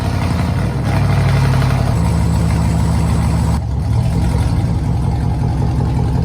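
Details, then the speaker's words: Chevrolet Tahoe first start after a fuel pump problem: deep booming very loud idle with heavy low rumble and a throttle blip, exhaust running without mufflers. "it is so loud I've got to get some Mufflers put on this thing it's ridiculous but hey at least it runs"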